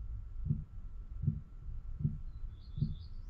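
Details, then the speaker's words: Chinese Webasto-type diesel parking heater fitted in a caravan: dosing pump ticking steadily, about 1.3 ticks per second, at startup once the pump icon appears on the control panel as the heater enters ignition mode; normal operation. "no i w tym momencie widzimy tutaj symbol bombki bombka się w tym momencie załączyła zacząłem powinno być słychać"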